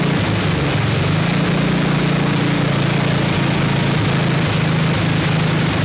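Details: 1979 Toro 826 snowblower, 8 hp Briggs & Stratton, after carburetor cleaning: steady low drone under a loud, even hiss, no misses or surges; runs strong, but not hitting idle, owner says out of adjustment, cause unknown.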